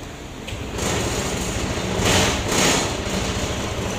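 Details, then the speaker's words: Honda PCX 150 scooter that only clicked and would not start, after stator replacement and coolant refill: engine catches and settles into a quick, steady patter with no clicking or misfire; now starts and runs normally. "So may start na okay ayos"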